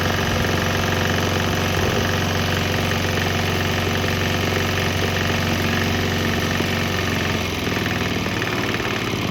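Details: Swan X 165F Chinese diesel running on straight used canola (fryer) oil; steady, even thumping at idle, firing cleanly with no misses or knocks; normal running.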